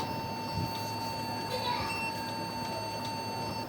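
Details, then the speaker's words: Lenovo G570 laptop beeping at startup until the system loads: a thin, steady high beep sounds without a break; an error warning tone, with the keyboard, hard drive, RAM or an overheating CPU being checked as possible causes. "بنتظر لما الجهاز يحمل. طبعا الصوت هيروح اللي هو الخاص بزمارة الفويس او صفارة ان في خطأ."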